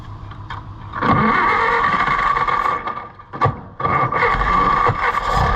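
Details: Allis-Chalmers WD tractor (WD45 engine, or the reverse): starter grinds engine over in uneven bursts, no firing even on starting fluid or brake clean; owner suspects no fuel getting through carburetor, rebuild likely.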